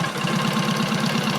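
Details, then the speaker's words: Rebuilt Matchless G11 twin with gear-driven timing and third main bearing, quiet exhaust, tick-over being lowered while oil return is checked: steady even idle beat with light gear chatter, no knocks; normal idle. "it's quite quiet we can just drop the tick over down a bit now"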